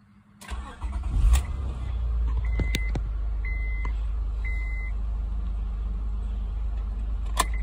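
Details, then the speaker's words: 2006 Honda Accord 3.0L, high mileage, after cleaning the corroded starter solenoid signal wire: engine turns over briskly and catches promptly into a steady low idle; no-crank fault fixed. "guys I think we fix the problem was the little wire to the solenoid corroded clean it put the electric on it and it's cranking like a champ"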